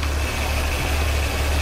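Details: Ford Taurus idling with a steady low, slightly uneven beat; misfire with lean condition on both upstream O2 sensors; test-light cylinder drop test on waste-spark coil finds no spark on cylinder #1, a dead cylinder.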